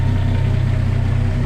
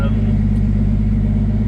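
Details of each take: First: Turbo Centura with 500 Holley carburetor, factory fan and 3-inch exhaust, cold start: fires straight up and settles into an even, steady low burble with a smooth rhythm, no knocks or misses; a healthy idle. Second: Turbo Centura cold start: steady cold idle with a light buzzing rattle over the low hum from the wastegate actuator shaking, which goes away once the engine warms and expands; otherwise fires up fine.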